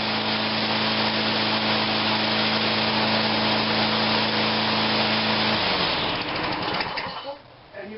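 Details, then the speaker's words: Toro Personal Pace walk-behind mower after rear drive repair, tach placed near the spark plug reading about 4,800–5,000 rpm: the engine runs steady but revs high and strained before cutting out; overspeed. "so got between 48 and 5,000 I think that's a little high so I'm going to look it up and see if I can find out yeah I know I could hear the RPMs they're a little too high"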